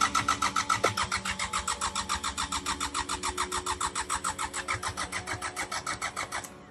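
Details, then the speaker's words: 34-year-old unused Sabb M4 diesel after long storage cranks steadily at about 3.5 compressions per second but never catches; no fuel from the injector line while cranking, fault suspected at the mechanical injector pump. "now remember there was fuel coming out of these ones even with the pump on but this like the sitting and there's no fuel coming out of this even when I crank it"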